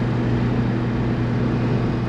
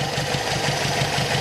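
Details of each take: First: Brazilian Chevette with Solex carburetor, warm after carb cleaning: steady, even idle with unchanging low beat and no misses or knocks; ran fine on a test drive, fix not yet confirmed. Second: Brazilian Chevette with Solex carburetor, engine still cold after carb cleaning and idle-screw adjustment: idling a little unevenly with a faint wobble but holding steady without dying; rough cold idle.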